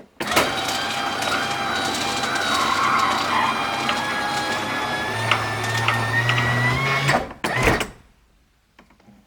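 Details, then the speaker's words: Subaru Sambar sunroof: a gritty grinding drag for about seven seconds with motor hum under it as the cable is pushed through. The cable binds in its guide tube; tracks were cleaned and silicone-lubricated, improved but not cured. Better with the end piece loose. "having this bit here loose it does sound a bit better let's sort of grind as it pushes um the cable through"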